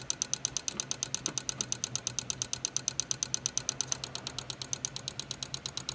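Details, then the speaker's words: 2004 Mazda RX-8 manual with a starter-relay fault: with ABS plugged in, the EGI relay chatters in fast even clicks about eight to nine per second. Suspected short in the ABS system tied to the lights and EGI. "it is clicking the relay here which is actually the egi relay so there's a short somewhere in that ABS system that ties into the lights and the EDI system"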